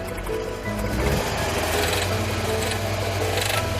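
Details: Misfire on two adjacent cylinders with rough stumbling idle and clatter: head gasket blown between cylinders, combustion pressure passing to the neighbor causing knock; no water in oil; cause suspected clogged coolant passages or repeated overheating loosening head.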